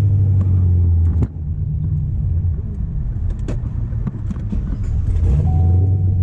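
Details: 2006 supercharged Corvette V8 with multiple misfire codes, earlier cylinder 6: lumpy uneven low rumble with irregular stumbles and dropouts, no power. Cause unconfirmed; race gas being tried, next steps plugs and stock wires.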